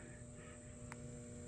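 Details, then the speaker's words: Battery charger for a Craftsman LT3000 lawn mower with a badly corroded battery: a faint steady electrical hum with a low buzz underneath; the charger is buzzing and is probably not actually charging. "I don't want to mess with it to their much because it's not my charger so you can hear it buzzing and whatnot"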